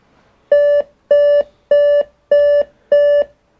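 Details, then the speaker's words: Dell Inspiron One 2330 all-in-one PC powered on: five even beeps at startup, a POST error code pointing to a failed or flat CMOS coin-cell battery; RAM and SSD were also upgraded. "five beeps [Music] five beeps okay all right we get it they 2330 maybe a ram see much better failure okay that sounds simple"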